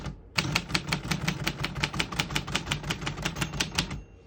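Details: 1948 Royal Quiet De Luxe portable manual typewriter typing: crisp, even keystrokes roughly three a second, each a clean snap with no drag or double strikes; typing action works properly.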